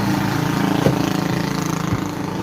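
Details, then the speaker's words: Sanyo Aqua Magic washing machine after connecting the grey and purple wires to the spin motor capacitor: steady low mains hum with even turning rhythm; spin motor now runs instead of failing to spin. "Ini udah kita sambungkan dan sekarang kita coba kita hidupkan untuk timer pengiringnya ah dan tampaknya udah berputar ya kawan-kawan itu dinamonya di bagian sana"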